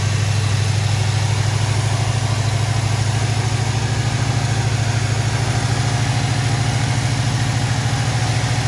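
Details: 1973 Ford Mustang convertible, 302 V8 with factory Motorcraft 2150 two-barrel carburetor, automatic choke; cold start after half-throttle crank, steady even rumble with no misses or knocks, fast idle on choke around 900 rpm; normal.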